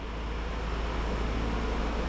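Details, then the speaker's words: VT Commodore after fuel pump replacement: new pump primes very quietly, barely audible, no more humming; steady even low engine note, car running normally. "Jesus, very quiet when it primes. Barely hear it. Oh, how good's that? No more humming."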